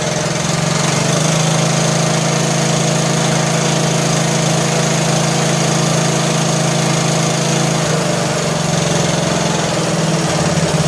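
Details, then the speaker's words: John Deere L100 lawn tractor engine, long sat, just started, warming: loud steady idle with light slightly uneven tapping about four a second; valve lash noise fading as it warms and on revving; valves need adjusting. "So as it warmed up, the valve lash became less and less noisy. You rev it up, pretty much goes away. So, but we need to adjust the valves, so that's on the list."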